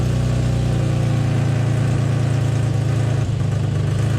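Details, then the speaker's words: Infiniti G35 idling after repair of a massive exhaust leak, pipe ends too far apart: faint puffing tick riding on the exhaust beat; small leak still heard at the exhaust joint, being warmed up. "But I can still kind of hear a leak. Oh yeah, definitely leaking right here."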